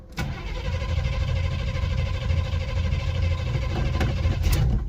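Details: 1979 Camaro Z28, revived after a 15-year sit with new spark plugs and not started for a couple of weeks: long steady cranking churn with a low, even beat before it finally fires.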